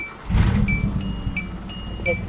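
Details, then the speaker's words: Hyundai fitted with a swapped throttle position sensor. It cranks and catches at once, then revs cleanly over a chiming warning tone; it runs perfectly, so the sensor isn't the fault. "Runs perfectly. Well, that's not the problem."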